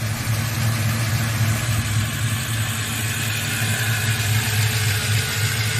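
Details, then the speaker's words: Chevelle with turbo 5.3 V8, warm, around 2,000 rpm at cruise or light throttle: light, uneven metallic rattle over the exhaust note; starts and runs fine, no power loss at wide open throttle, source can't be pinned down. "it gets warm it's there and it's right around 2,000 RPM is it's under cruising or light load little bit of throttle and as I you know it runs just fine it starts just fine it goes wide open throttle no power loss nothing"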